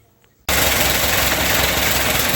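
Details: Fordson E27N tractor after starter repair, battery charging and carburetor cleaning: engine catches abruptly and settles into a steady, even run with no misses or knocks; normal running.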